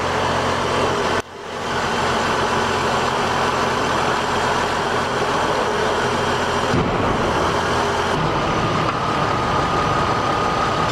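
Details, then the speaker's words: 2004 Chevrolet TrailBlazer after repair (failed VVT solenoid and cam position sensor replaced, spark plugs and #1 and #4 coils replaced): catches quickly and runs steady and even with no misfire, tapping or surging. Normal running. "Hey look no blowing up yeah I think it's working"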